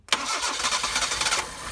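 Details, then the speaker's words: Toyota AE82 project car started after sitting 7 months, with petrol poured straight into the carburetor: it catches quickly into a rough, uneven idle, running only on the poured-in fuel and not on fuel from the normal supply. "So you hear the engine idling. So it was using the fuel that we topped up with, not the actual fuel from the So now it is running with the fuel that we topped up with."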